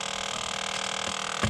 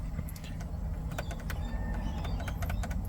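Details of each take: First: Ford Territory SZ, driver side under dash with knee airbag removed, heard via stethoscope: thin steady motor whir with sharp clicks whose frequency changes, from the faulty blend door actuator motor, replaced. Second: Ford Territory SZ after replacing the driver-side blend door (mix) actuator motor that had been clicking under the driver side: steady low cabin hum, no repeating clicks, actuator now silent.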